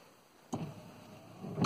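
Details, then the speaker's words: 2001 Toyota Corolla with a junkyard intermittent wiper stalk from a 1999 Corolla LE installed, cabin: two sharp isolated clicks a little over a second apart as the timer cycles; normal intermittent wiper timer click. "and now you can set it to intermittent so it has its own little timer in there"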